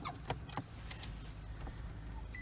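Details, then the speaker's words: 2007 Toyota Prius that had no electricity and would not start or jump-start, just after its 12V battery was replaced: several soft relay clicks, then a clean steady beep as the hybrid powers on normally; the battery swap fixed it. "i'm gonna see if i can turn it on oh there is a beep there is a beep"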